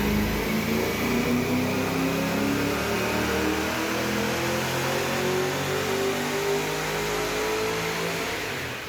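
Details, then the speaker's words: VY ute with cammed LS1 V8 and T56 manual, dyno pull, rev limiter raised to 6800: hard full-throttle pull climbing smoothly through the revs, no stumbles or rattles; made 274 kW, healthy, owner holding back pending valve-spring check. "The car made 274 kilowatts. I'm very happy with it. There's probably a little bit more in it."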